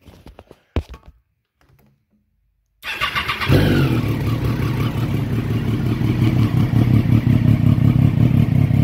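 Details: 2011 Triumph Daytona 675R: quiet clicks, then the engine catches cleanly and settles to a steady idle after refitting the 15 A headlight fuse, whose blowing had caused the no-start, not the starter relay.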